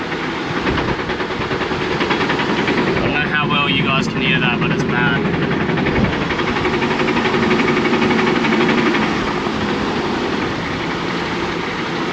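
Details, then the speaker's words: GQ 4x4 crawling with handbrake off: steady drivetrain rumble with a few heavy irregular clunks; a whine came first, wheel bearing suspected, but the differential was failing and blew; before diff replacement. "I'll take the handbrake off, give it a bit of a drive so you guys can see it. But yeah, the clunking's pretty bad."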